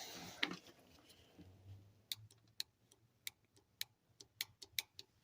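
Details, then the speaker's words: Abandoned project car, power applied to the fuel pump: a sharp dry click repeats irregularly from the tank about every half second with no pump hum; the pump gets power but won't run, suspected seized. "yeah I just think powered fuel pump that don't run so you hear it clicking the tank"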